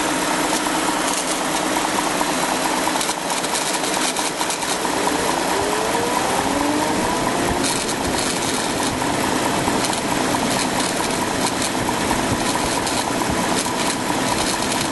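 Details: 2004 BMW 545i automatic with N62 V8 at idle: dense, rough hiss with an odd irregular noise joining about halfway through; a bad bearing is suspected, not confirmed.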